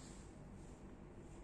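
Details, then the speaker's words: Common market roller-blind motor (not the ABCON one) running as the blind lowers and raises: steady low drone, no pitch change, fairly loud hum; clicking noises also occur on each stop or open-close. "Hai bisa didengarkan bunyi dengung motornya juga hai hai Hai naik Hai nah cukup keras ya Bunyi dengannya"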